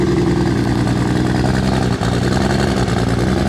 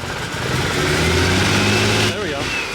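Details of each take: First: MK4 Toyota Supra with big 272 cams, now running on all six cylinders after an earlier five-cylinder startup: deep, loud, even burble with slight cam lope; healthy idle. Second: Turbo inline-six with big 272 cams, on its first startup after new parts for dyno tuning. A lumpy, uneven pulse under the revving note: misfire, seemingly on only five cylinders.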